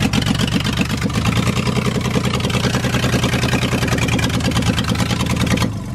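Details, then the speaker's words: Mustang engine on stock header and stock tune, no O2 sensors or EGR, one spark plug with cracked porcelain: uneven, lumpy, tractor-like idle, not all cylinders firing; misfire. "that thing sounds like a kubota if it had the cylinders all firing it would sound great but"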